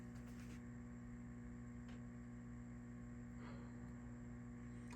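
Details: 1983 Fender Princeton Reverb II, stored unused for years, on current limiter with master up: steady low buzzy hum; 120Hz or 60Hz with harmonics suspected, possibly phase inverter since master volume affects it, unconfirmed.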